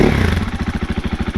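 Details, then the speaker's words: 2021 KTM 500 EXC-F, decorked with open intake and exhaust settings, free rev: a quick blip settles into a crisp, even single-cylinder pulse with no clatter, louder when revved. Healthy engine; owner wonders if it runs a little rich. "definitely louder when you rev it, but again, hopefully not obnoxious."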